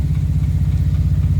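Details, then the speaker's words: Morris Minor 4-door first start on key after new ignition barrel, with choke: low uneven chugging idle with irregular dropped beats; runs but missing, owner suspects points and plugs need cleaning. "Oh, it does run even though it's missing."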